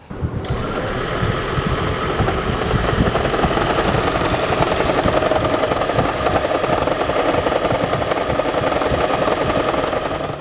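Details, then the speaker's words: 2012 Lexus CT200h (Prius-based hybrid), engine idling, hood open: fast, uneven knock-like clatter from the spring damper plate between engine and electric motor, jerked by a cylinder misfire; nothing broken, not rod knock. "When one of the cylinders is misfiring, that becomes jerky, and you can actually hear it. There's nothing broken. It's actually supposed to make that noise."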